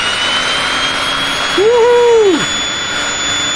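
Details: Drill plugged into a 1,500 W off-grid inverter on a 13.6 V battery bank: a brief motor whine swells and winds down as the trigger is pulled, over a steady electrical hum; the drill runs fine.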